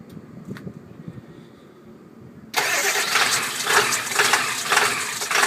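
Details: 1999 Ford F-250 7.3L Powerstroke diesel, cold start: the starter churns in uneven pulses near two a second without catching, a hard start with long cranking, before the engine lopes.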